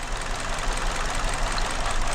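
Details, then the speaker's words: 2019 Hyundai Elantra 2.0 with misfire code P0304, check-engine light and stalling, idling during coil-unplug test: uneven, lumpy idle with irregular low thump; unplugging cylinder 4 coil changes nothing, locating the fault there, most likely the coil. "طيب مشغل يلا بسم الله يمكن تهتز اول واحد ما تغير شيء زاد ما تغير شيء نفس الاهتزاز ايوه سمعت الصوت هذا"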